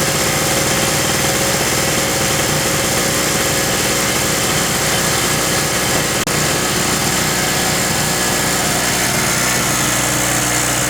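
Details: King Canada 950W (800W running) 2 hp two-stroke generator, sat a while, after carb work: high, buzzy drone holding constant speed with no stumbles or misses; idling cleanly, normal idle.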